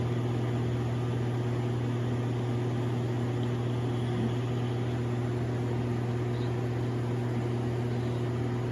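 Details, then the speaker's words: Air conditioner unit just kicking on: steady low hum with constant whooshing airflow, no pitch change; odd drone, owner unsure and suspects it may be low on Freon or need a filter check. "something's trying to activate in there, like maybe it's out of Freon or something."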